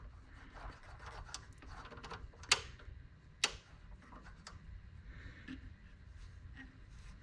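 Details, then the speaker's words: Old Ford parts-car dash AM transistor radio powered up: scattered faint crackles and two sharp clicks over a quiet hiss, with no station received. Crackle comes from turning the volume control; a dirty control or switch is suspected. "it should be picking up doing something at least static definitely hear the volume control on there"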